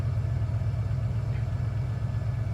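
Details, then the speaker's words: 1991 Ford Bronco/F150 being checked for O2 sensor codes 41/42, held at a raised cold fast idle of about 1100 rpm: a deep, steady rumble with no misses or knocks. The computer is expected to drop it to normal idle. "so I'm right there at 11 harder rpm the computers gonna look at it it's gonna run it this rpm for a little a couple minutes and look not a couple minutes play few seconds and it will eventually drop down to where it's supposed to be"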